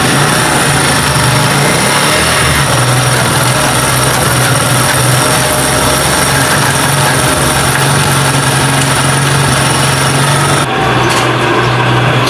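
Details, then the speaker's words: Honda CD 70 motorcycle after repair of loud first-gear noise under load: started and put through the gears after adjustment and reassembly. A smooth single-cylinder hum with no knocks, grinding or gear whine, so the fault is removed and it runs normally. "तो जैसे कि आपने देखा कि bike हमने start की है gear भी लगाए हैं और इसका साउंड बिल्कुल परफेक्ट हो गया है"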